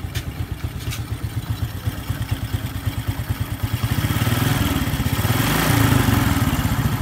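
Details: Honda Supra 125 after cylinder block and head reassembly, engine worn from overdue oil changes: even, steady single-cylinder idle with soft regular tappet ticks, revs lifting smoothly around five seconds; smooth and healthy.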